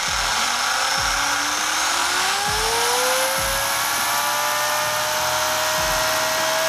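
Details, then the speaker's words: Traxxas Rustler VXL 2WD RC truck with new Boca ceramic bearings, break-in run checking motor direction, drawing less power than stock bearings: loud motor whine climbs steadily then levels off at smooth even speed; drivetrain runs freely. "Just making sure the motor's turning in the right direction."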